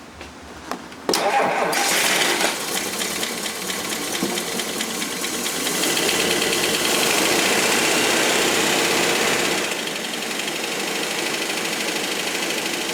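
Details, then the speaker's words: Rolls-Royce Silver Cloud III fail-to-proceed, after fitting a new ignition coil (previously misfiring intermittently): short crank, catches and settles into even, steady run with all cylinders firing; a remaining tapping possibly from hydraulic lifters. "it sounds totally different under remember that that intermittent sounded like it wasn't firing"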